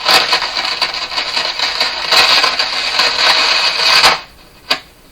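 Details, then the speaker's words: Grundig Prima Boy Luxus portable transistor radio: harsh, scratchy crackling bursts for four seconds, then near silence with one last pop when touching the board; intermittent connection, owner suspects solder cracked from flexing and heating near the output transistors. "So, once again, riding your bicycle with this in your pocket, flexing, and you get cracked solder."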